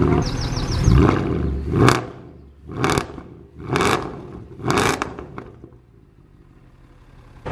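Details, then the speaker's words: Salvage Mercedes C63 AMG V8, started cold after a flat battery: four clean, very loud blips rising and falling evenly with no knock or rattle. The engine seems healthy, just a very loud exhaust. "But yeah, it is so loud, it is unreal. Now, yeah, so the engine seems to be okay."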